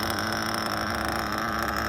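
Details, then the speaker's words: Mugen MBX5 1/8 nitro buggy, after richening low-speed needle a full rotation: high buzzy idle holding steady low pitch with no hunting, single-staging with smoke trail; stable normal idle, top end still slightly rich, flames out on let-off. "Let's listen to it. That's a pretty low idle pitch, huh?"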